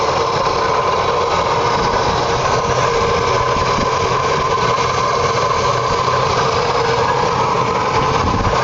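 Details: Oldsmobile 350 V8 idling with all belts attached: steady busy whirring with strong high whine over engine note; strange noise, cause unconfirmed.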